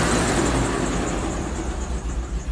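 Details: 2003 Land Rover Discovery 2 V8 idling with a dull knock under the steady rumble; cause not yet pinned down.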